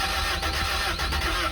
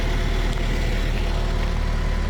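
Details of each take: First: Toyota TE72 wagon barn find, first crank with battery hooked up: starter spins engine in quick even rhythm, seems about to catch but never fires; cranks without starting. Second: Toyota TE72 wagon barn find, owner-rebuilt engine with documentation, needs alternator; deep steady idle rumble with even beat, no knocks, misses or ticks — normal healthy idle.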